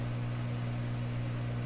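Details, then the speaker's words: Canadian Admiral J104X/J105X console tube receiver at full power after dim-bulb testing: steady low hum on both channels, possibly due to the test setup; suspected 7-megohm resistors differing from schematic, and signs of oscillation seen. "both channels humming but probably because of the way things are set up here"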